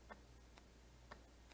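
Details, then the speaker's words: Used junkyard A/C compressor for a 2002-05 Hyundai Sonata (2003 LX 2.7L V6) bench-tested: crisp separate clicks, four in under two seconds, as the wire touches positive; magnetic clutch engaging normally. "so you can hear it click and that's the magnets in there inside of our clutch and it's causing you to engage"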